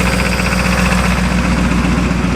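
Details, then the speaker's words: Barn-find Pontiac V8 first run after 20 years, points ignition, oil pressure light on: loud rough idle with quick steady ticking at crank cadence, suspected top-end valvetrain noise, unconfirmed. "Does sound like a bit of top end noise. I think it is quite fast. It's kind of crank cadence cuz your valve train does have the rotational speed."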